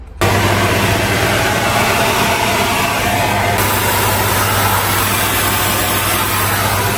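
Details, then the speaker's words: HGV truck with engine idling to build air; constant loud hiss of escaping air, judged to be a drive axle brake chamber leak; chamber to be replaced. Air leak from brake chamber. "Sounds like a drive axle brake chamber to me, that."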